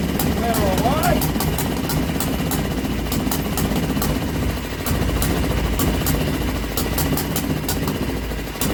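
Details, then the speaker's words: Old Villiers single-cylinder engine run on a bench, on choke, started with drill: fast uneven popping idle, running steadily, bench clattering; kill switch failed because contact was painted over. "the kill switch on the back of the engine didn't turn the damn thing off and she's starting to shake everything off the bench"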